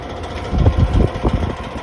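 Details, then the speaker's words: Outdoor air-conditioner fan motor, running: uneven heavy thumps and knocks over a low hum, plus grinding. A technician servicing it last year blamed a loose motor shaft, though the company later called the unit fine. Finding: fan motor knocking from a loose shaft. "so i was told when they were servicing it i think it was last year it's because the shaft on the motor is really well is a bit loose causing it to make that noise which really i don't like"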